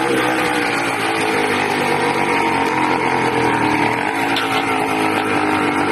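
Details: Small 80cc two-stroke screams at high, slightly unsteady revs with a harsh rasp, loud and erratic; owner suspects a carburetor or intake manifold leak, unconfirmed.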